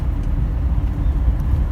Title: VW Bus Piston Slap